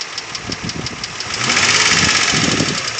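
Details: 2003 Infiniti G35 sedan engine with sharp, rapid ticking that grows louder and busier as it is revved; owner describes it as loud ticking or knock, cause unknown.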